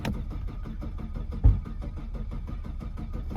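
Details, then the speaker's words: Saab 900 V6 after adding about 10 litres of fuel and priming the pump: steady starter cranking with occasional weak firing coughs and one louder catch, never picks up; cranks but will not start. "Oh, there was a cough. It's trying. Come on. Go. It's trying to fire."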